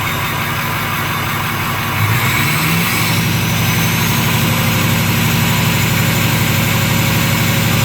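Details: Ford 6.0 Powerstroke diesel, first start after replacing the number 8 fuel injector to fix excessive smoke and refilling the high-pressure oil system: steady, even idle clatter with no misfire or uneven beat, a normal idle.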